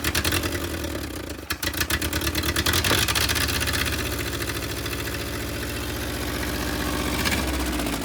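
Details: Willys CJ2A Jeep, first run with no coolant flowing: engine catches and settles into a slightly uneven, loping idle with irregular beats; rough idle, owners say the idle adjustment is off and needs setting.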